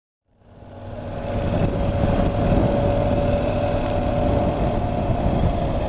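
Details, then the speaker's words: Honda NC750X at road speed: a steady, fairly high whine from the front end, heard over wind and engine noise and constant all the time. The rider wishes the front were quieter. Exact cause unconfirmed. "I did have White's the front and not the back I guess he can hear the front a bit more but yeah could be better"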